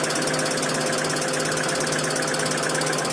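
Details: 2012 Hyundai Accent, petrol/CNG: fast uneven light ticking about twice a second over a busy idle from the top end; timing bearing silent, a motor bearing found bad, tappets to be inspected; cause not confirmed.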